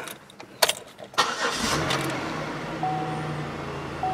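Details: 2008 Buick Lucerne that cranked but wouldn't start (zero fuel pressure, burnt fuel pump relay under rear seat), after relay fix/jumper: few seconds cranking, then steady even idle; normal start.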